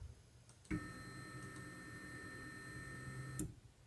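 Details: Carl's aluminum carriage on stock bushings, before the swap to linear ball bearings: a steady motor hum with a few fixed tones for about three seconds, starting and stopping cleanly; sound app reads about 72; normal carriage travel.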